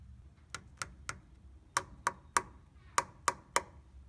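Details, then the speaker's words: 1985 Toyota pickup 4WD frame, hammer test: sharp taps turn duller and flatter past a certain point, marking about 18–24 inches of thin rusted frame metal to be replaced. "you can hear a clear difference in the pitch of the taps when i get past a certain point"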